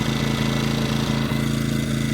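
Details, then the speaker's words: Ecoflow dual-fuel generator on propane, regulator turned out about a turn and a half too lean: engine chugs unevenly with stumbles, starting to die off, not running smooth. "If you go out a turn and a half or so, it'll start to kind of die off. Then, you hear that? Even worse, it's not running as smooth."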